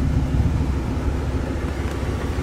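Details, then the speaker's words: Deep, steady low exhaust rumble at idle from a newly fitted Hushpower aftermarket muffler with Y-pipe, heard outside the vehicle; loud droning, owner unhappy with the muffler and the shop's downturned tailpipe tip. "so far the hush power Muffler I'm not too sure I'm happy with that"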